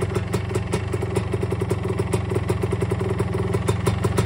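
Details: 1977 Yamaha IT250 two-stroke, first start after a top-end rebuild with .002" piston-to-cylinder clearance: a quick, even ring-ding idle at about eight pops a second with no hollow slapping. The piston slap is gone; the top end is quiet and healthy.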